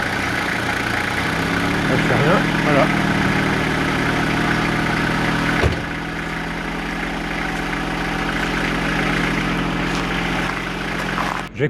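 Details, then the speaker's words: Renault Master diesel van, started in cold damp ~3°C weather after three weeks to a month unused: steady, even idle with slightly fast, busy beat and no misses; idle a bit high, dropping as it runs. "le master vous allez entendre pas où je vais le virer le masters évidemment le ralenti un peu haut mais là ça fait trois semaines un mois qu'elle n'a pas démarré le temps est super humide"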